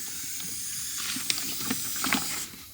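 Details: Turbo LFX-swapped Volvo 240 wagon during a pressurised boost leak test, with the fuel pressure regulator found leaking: steady high airy hiss with a few sharp ticks over a quiet engine. Boost leak somewhere in the plumbing.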